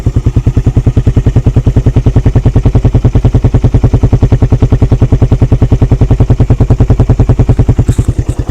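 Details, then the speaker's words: Suzuki Satria F at idle: strong, crisp single-cylinder thump, dead even at about 200 beats a minute with no misses or rattles; compression still tight, healthy engine. "guys selain masih Padat kompresinya semua kondisi kelistrikan juga nyala nih"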